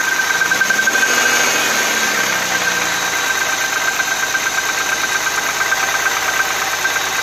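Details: Audi A6 C4 2.6 V6 (ABC engine) at cold idle with a soft, fairly steady knock near three per second over the engine hum. An oil change made no difference, and the cause is not identified.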